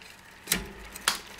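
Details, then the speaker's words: Luna X1 e-bike rear derailleur after B-screw adjustment for more chain wrap on the 11-tooth cog, which had been skipping; two crisp clicks as the chain drops cog to cog, clean with no grinding or chatter; normal derailleur shifting. "Shifts nice and pretty."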